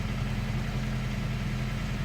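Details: 2002 Toyota Camry with head gasket leak from pulled rear head bolt threads, fast idle about 1250–1300 rpm during Bear's head gasket sealer treatment, steam from tailpipe: steady even drone, no knocks; leak not audible.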